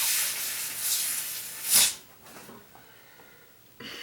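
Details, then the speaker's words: 1994 Saab 9000 AC system with a newly fitted condenser, under vacuum/nitrogen pressure test: a sharp steady hiss of escaping gas with a louder puff midway, then dying off. The line is leaking at the manifold fitting. "lines are leaking this freaking line"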